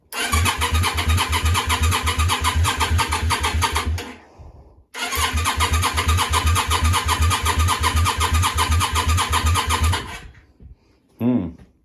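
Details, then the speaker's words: Yamaha Virago 535 after a new starter fitted: two long cranking runs at a steady beat, about four and five seconds, with starting fluid sniffed down the air intake and fuel coming from the rear cylinder exhaust, never fires; no spark, fuses suspected. "see as we have no spark back to investigating"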